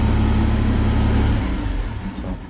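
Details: Deutz diesel on a Skyjack lift, after a no-crank/no-start diagnosed via the fuel pressure sensor the ECU requires: runs steady and strong with even low pulses, then winds down; normal start and run.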